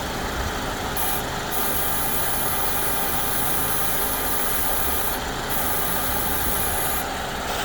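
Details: 2014 Ford Escape 1.6L idling with AC on a while: thin, very high-pitched buzz cutting in and out from the externally controlled variable displacement AC compressor; owner unsure whether normal, heard mostly at idle after pressure builds.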